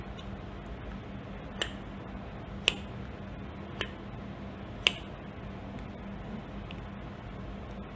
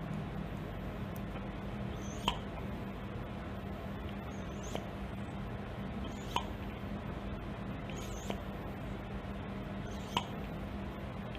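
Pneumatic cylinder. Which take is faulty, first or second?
first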